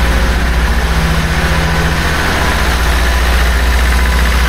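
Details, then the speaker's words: 1976 BMW 2002 (automatic), first start in years after restoration, no coolant in it: loud fast steady idle with even low rumble that never settles; owner suspects many vacuum leaks cause the high idle. "Sounds good. Lots of vacuum leaks everywhere you look, so that's why it's running so high."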